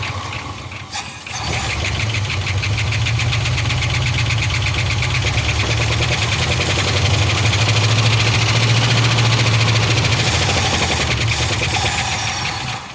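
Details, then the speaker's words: 1975 Ford F500 rollback truck sat 17 years in a field, run from a secondary fuel can: engine catches, runs lumpy and uneven about ten seconds, then dies; owner suspects the fuel pump isn't pumping. "i don't think the fuel pump's pumping because we put it in a secondary can"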